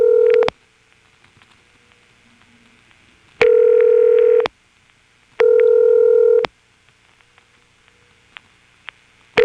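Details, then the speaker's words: March 1977 Carolina Telephone step-by-step exchange, Washington NC: an odd two-digit code gives steady ringback in pairs of one-second bursts with long silences, a double ring that never answered. "another odd two digit code which I found just went to a double ring like this"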